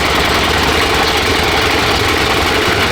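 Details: Freshly restored and rebuilt Honda XR600R single (one owner, 7,400 km, had low compression): idles steady and even right after a first-kick start, no knocks or misses; sounds healthy.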